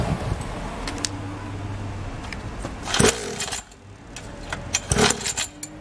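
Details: SYX Moto Holeshot 50cc two-stroke after repair of no spark and a dirty carburetor, idle screw being adjusted; light buzz then two sharp throttle blips rising and falling quickly, starts and runs freely.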